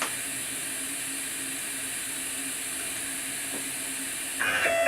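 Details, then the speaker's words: Homemade JGRO CNC router Y axis with upgraded stepper motor (replacing 80 oz motor) tuned in Mach3: steady hiss and faint hum, then a jumble of squealing tones as velocity pushed past about 40 with acceleration around 23; owner suspects stall at excessive speed, settles on 39. "see it just can't handle it so I'm going to I'm going to go 39 so I think that's good for now"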